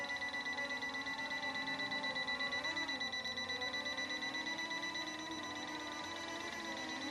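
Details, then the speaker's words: S1S Max drone flying outdoors with obstacle avoidance on: quick regular high beeps, nearly three per second, over steady rotor hum, warning it is too close to the pilot. "now she's saying she's too close to me that's why you hear that beat"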